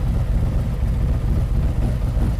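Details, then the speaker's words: 2023 Harley-Davidson Street Glide ST Stage 2 (CR483 cam, Bassani header, ThunderMax) final idle tune approaching 180° operating temperature: deep steady rumble, even loping pulses, no knocks or ticks; normal idle at operating temperature. "Okay, we're approaching 180°. Let's give it a second here to reach the actual temperature and we'll shut it off."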